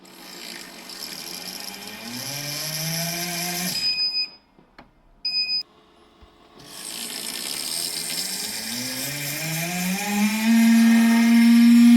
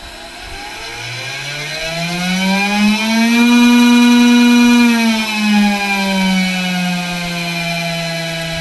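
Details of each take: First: Makera Carvera Air CNC spindle: rising whine under harsh hiss and rasp, with the tool-changer block running very hot, mainly at the top; caused by a broken internal pin perpendicular to the spindle axis rubbing the tool changer, which stops the spindle reaching speed and triggers an error. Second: Makera Carvera Air CNC spindle after replacing a broken small internal pin in the ATC tool-change block that rubbed, overheated and caused speed errors: clean even whine climbing, holding, winding down, no rattle or grinding; normal spindle run after repair.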